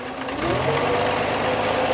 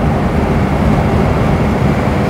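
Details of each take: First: 1949 Armstrong Siddeley Lancaster at idle after valve clearances were adjusted: steady idle with a light quick ticking at the top end, much quieter than the former machine-gun tapping. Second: 1949 Armstrong Siddeley Lancaster on the road at 50 mph; loud, steady low drone with no stumbles, running nicely without misfiring.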